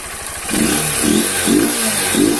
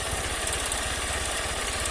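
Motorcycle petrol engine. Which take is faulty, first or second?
second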